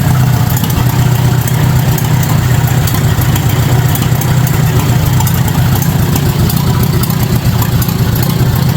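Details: 1953 Farmall Super A barn-find tractor, first start after carburetor cleaning (jets cleared, stuck float freed) on a bottle-fed gas supply: engine runs steady with a deep, even throb and no misses or knocks.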